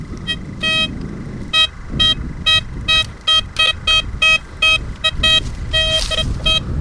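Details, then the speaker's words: Blisstool v3 metal detector on a ploughed field: short high beeps in irregular bursts drift across a wide sweep, a wide ghosty response rather than a clean, sharp non-ferrous target; left undug. "guys, that's no good. I'm going to leave that because that's just such a wide ghosty area."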